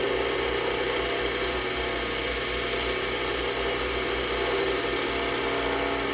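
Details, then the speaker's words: Skew chisel on a lathe smoothing a spindle blank with the tool tip up: a steady hiss of shaving over a constant lathe hum, even, with no chatter or catches. A clean, smooth cut taking off the high spots, not a ripping or peeling cut. "So that's just taking all those high spots off and giving me a nice skewed cut rather than that ripping cut."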